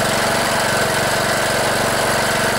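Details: Cub Cadet LT1018 riding mower, 18.5 hp Briggs & Stratton Intek OHV single, unused about a year, running after a new battery and replacing a fouled spark plug: quick, even putter at steady speed, no misses or stumbles, no more smoke.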